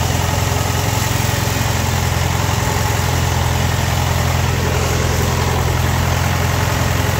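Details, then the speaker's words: Ford-built M151A2 military jeep, 141.5 cubic inch engine, stored 20 years, just started with about 48 psi oil pressure; steady, even low idle with smooth rumble, no knocks yet, rattle follows seconds later; normal idle. "Sitting there purring like a kitten. Got about 48 PS of eyes."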